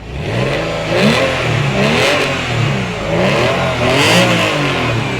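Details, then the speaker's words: Porsche 911 (996) Carrera flat-six bought cheap after sitting for years, which smoked on first start; owner wonders whether AOS failure or bore scoring. Here it fires straight up and revs crisply, with clean rise and fall and no misfire, knock or rattle. "Other than that, it runs great. It fires straight up. That sounds pretty good."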